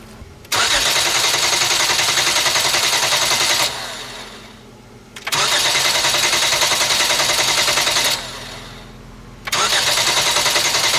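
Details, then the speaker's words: 2011 Hyundai Genesis 3.8L, crank no start: two long, even cranking bursts that never fire. Cranking sounds mechanically sound, but the disconnected fuel line delivers no fuel into a bottle during key-on or cranking, pointing to the fuel pump. "all right guys you heard the engine crank what do you guys think the engine sounds good it sounds really even there's no inconsistency by the way it sounds so i don't think we have a mechanical problem with this engine"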